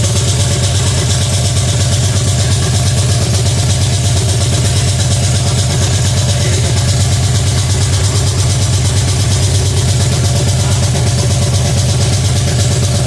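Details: Pontiac 350 V8 in a '50 Pontiac gasser, first fire-up, timing about 8 degrees, oil pressure under 50 psi: deep, steady rumble at a raised idle that won't settle; high idle.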